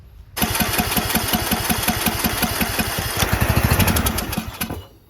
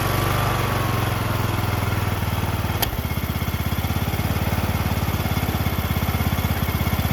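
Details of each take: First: Briggs 19.5HP engine on a John Deere LA110 lawn tractor, rebuilt after being hard to turn, possibly flooded: catches and chugs unevenly for a few seconds, then fades and dies; fuel in the bowl but not rising through the emulsion tube, dirty carburetor. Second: John Deere LA110 lawn tractor, rebuilt Briggs 19.5HP engine with new carb, idle screw just adjusted: steady, even idle thump, no misses or knocks, clean and settled; normal idle after rebuild.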